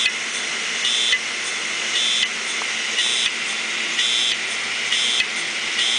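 A high chirping whine repeats about once a second instead of a smooth spin; the heads have crashed onto the platters.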